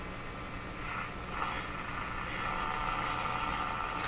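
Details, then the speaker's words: Moffat (Crosley) G2465 five-tube radio, powered up on dim-bulb/variac around 91–100 V, tuning between stations: steady hiss with thin buzzing tone; electrical interference picked up. "so that that sound is a interference sound I hear in my shop all the time"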